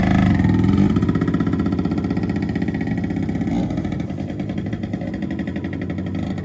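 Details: 1974 Kawasaki MC1 two-stroke, non-running when acquired, now starts and runs after a new spark plug (cleaning the old one didn't fix it); crisp, even putter at fast idle, firing cleanly with no misses. Normal two-stroke running.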